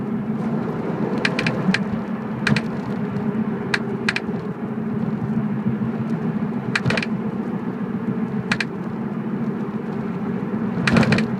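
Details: BMW E46 while driving: sharp clicks at irregular intervals, roughly every one to two seconds, over steady road rumble, from the rear. Cause unknown.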